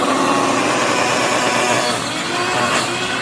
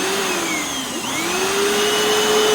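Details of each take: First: Hoover FloorMate floor scrubber after about 6 months of very light use: harsh, rough grinding roar with wavering squeals over the motor hum, sounding like it is eating itself; owner says the motor bearings have died. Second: Hoover FloorMate Deluxe hard floor scrubber in wash mode on old tile, clean tank about one-third vinegar in tap water, being pushed: steady motor whine dips briefly under the push, then settles to an even pitch; normal operation.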